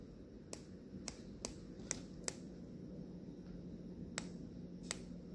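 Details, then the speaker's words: BMW intake VANOS solenoid, removed after code P052B (bank 1 timing retarded) and earlier cleaning, turned by hand: sharp uneven clicks as the pressed part moves inside; owner suspects this looseness caused the issue, unconfirmed; replaced with new solenoid. "but if you listen closely you could hear like when I turn it it's moving"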